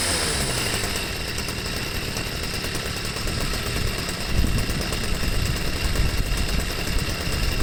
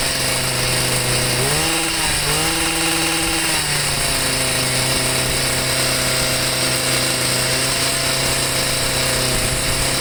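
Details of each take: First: Stihl sweeper MM55 two-stroke with replacement Hipa C1Q-S97 carburetor, idle screw reset, no mixture adjustment needed: steady putter with brief rise in speed settling cleanly back to idle; normal idle and throttle response. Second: Stihl MM55 sweeper two-stroke with a Hipa C1Q-S97 carburetor: fast, steady buzz rises briefly then stays high without dropping; idle too high.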